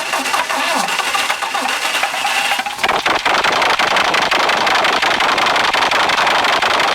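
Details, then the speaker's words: 1939 Bristol bus with a rebuilt diesel engine, first start since reinstallation, leaking oil and fuel: it catches on the button after a short crank and settles to an even, steady run under applause; normal start and idle. "so there we go it runs who'da thought it would have started that easily"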